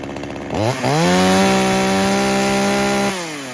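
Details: Traded-in chainsaw with a broken, loose handle and blown vibration dampener bushing, started on choke with primer: quick pull-start, revs rise to a clean, steady buzz, then it shuts off. Its on-off switch is disconnected. Starts easily; normal running.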